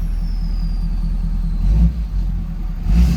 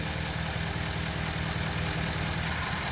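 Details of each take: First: 2011 Ford F-350 6.7 Powerstroke diesel burning heavy oil with white smoke, oil fill cap on; two short revs from idle climb sluggishly and choked, like the turbo has resistance and isn't free-flowing. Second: 2011 Ford F-350 6.7 Powerstroke diesel after fixing a pinched CCV hose that pressurized the crankcase and caused heavy oil burning: steady even idle with light regular clatter, no hunting; crankcase no longer pressurized; normal idle.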